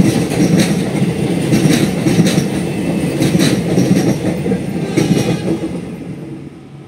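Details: Train rolling over thermit-welded rail joints: rumble with repeated sharp clacks about twice a second as wheels drop into small dips worn around the welds by heavy traffic.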